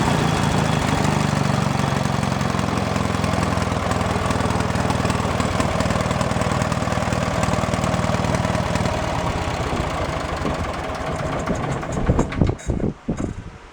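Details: 1970s Wisconsin inline-twin generator, abandoned for years, starter-generator on small battery, intake boot refitted: putters unevenly at idle with an irregular, lumpy beat, then dies away; rough running, carburetor mixture screw adjustment expected to help.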